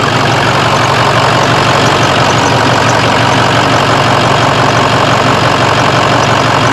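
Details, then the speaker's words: Diesel engine restarted after fuel pressure regulator adjusted back to 65–66 psi; steady even idle with smooth clatter, noticeably quieter, no knocks or misses; normal idle. "And we'll fire her up. Oh, the motor's a lot quieter now, imagine that. Oh, neat."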